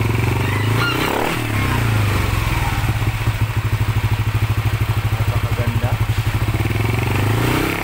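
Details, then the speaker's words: Yamaha NMAX 155 with a remapped ECU, idling after repair of a noisy engine: a steady single-cylinder putter at about three beats a second, even and settled after a brief blip, with no noise left. Normal idle. "Ayan kumpleto na for final wala ng ingay"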